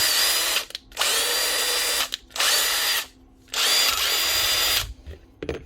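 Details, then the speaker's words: Power tool after repair, likely the 2010 Bosch GSA 36V-LI reciprocating saw after tool holder replacement: three steady bursts of even, high motor whine with clean starts and stops, no sputter or grinding; normal running. "sounds much better"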